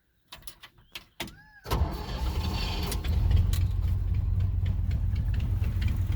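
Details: 1971 Chevrolet C10 with worn 307 V8, stretched timing chain, poor compression, wandering timing and big carburetor vacuum leak from worn throttle shaft bushings; cranks and catches, then loud deep uneven lumpy burble, rough misfiring idle through a blown-out exhaust.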